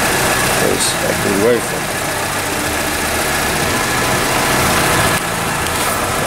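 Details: VW Polo at idle: uneven stumble under steady hum, one cylinder dropping out; shorted ignition coil causing misfire.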